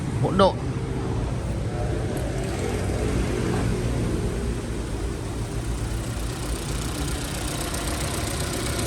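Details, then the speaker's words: Chevrolet Cruze 1.8 automatic gearbox at idle after repair for whining, broken pieces found inside; even, low idle rumble with no whine; normal automatic transmission at idle. "Anh em nghe tiếng xem nó có réo nữa không nhé."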